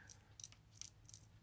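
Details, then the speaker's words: Old variac powering a vintage 1960s Autocrat television: sharp crackling bursts over a low mains hum as it arcs at a dead spot or semi-open circuit in its winding. "Oh, okay. This Variac's got a dead spot on it. I can actually hear it arcing."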